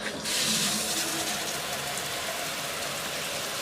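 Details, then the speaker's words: Rule 99B shower drain box with an 1100 GPH 12V pump in a cargo trailer conversion: steady soft hiss of water being pumped away, even and quiet with no rattle or strain; pump working normally. "this is the pump that pumps it right back out and it's working pretty well"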